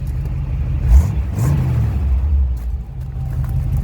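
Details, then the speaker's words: Warm rebuilt Chevy 350 V8 (bored 40 over, flat-top pistons, once seized) in a '76 or '84 Chevy C30 truck with glasspacks, just driven: deep even rumble through a quick rev, no misses or knocks; normal running. "i managed to get it going again and it actually runs pretty great"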